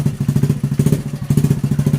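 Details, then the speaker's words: Honda Revo Absolute motorcycle after clutch repair, previously jumping when put in gear with rough noise on clutch: steady, even engine pulse with low throb, no clatter or grinding; clutch and gearbox now normal. "also the sound has disappeared from the rough sound like in the first video, friends, okay for this video, that's enough for now"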